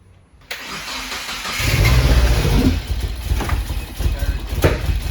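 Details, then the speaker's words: Rebuilt Subaru FA20DIT just after loading a new tune: brief crank, then it catches with a stumbling, surging, uneven run instead of firing right up, with pops in the intake rather than the exhaust. Hard start, cause unknown. "no it's good yeah something's still off it should fire right up start again yeah"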